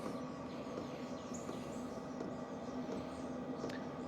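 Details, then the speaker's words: 2025 VEVOR 8 kW diesel heater running on its low setting: a soft, steady whir with a faint even hum, measuring in the high 50s dB, with no knocking or rattling. The pump ticking can be felt through a surface. Normal, quiet running. "So guys, we're in the high 50s. This is really quiet. Um, I'm pretty impressed."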